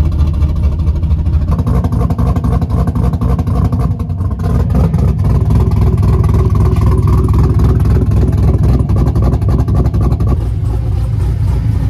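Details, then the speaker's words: Abandoned wrecked Chevrolet Camaro ZL1 with LSA V8, aftermarket mods and a cam, at a tow yard: deep, strong idle with choppy cam lope, no knocks or ticks; sounds like a very healthy motor, leak-down test planned. "great mods on it sounds like a very healthy motor obviously we'll get it back to the shop we'll leak it down and we'll see what it comes back with"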